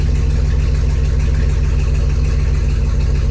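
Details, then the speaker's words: 1954 Chevy rat rod with an LS swap, started after a split plug wire was fixed. Deep V8 idle with a slightly uneven lope and occasional dropped beats. It is still misfiring on cylinders 7 and 8, but much less than before; the cause is unconfirmed. "missing on the same two cylinders but not near as bad as it was"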